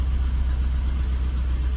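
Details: Jaguar XK8 started after sitting since late 2014 on original petrol, with fresh oil, new Lucas fuel pump, oil pressure and new alternator charging, engine management light on: steady, even low rumble, no knocks, ticks or surges; normal idle.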